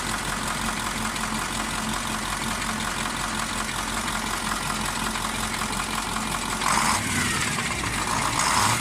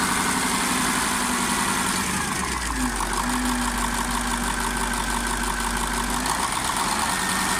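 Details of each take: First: KamAZ 740.13 diesel idling with a sharp rhythmic knock located by ear near cylinder 8. It quieted but did not stop when injector line 8 was loosened, and scoring was found on the cylinder 8 liner: piston knock. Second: KamAZ 740.13 diesel after repair, now running in with an FM 740.30 piston set replacing the KMZ one. A steady, even idle with a smooth low drone and no knock: the engine sounds healthy.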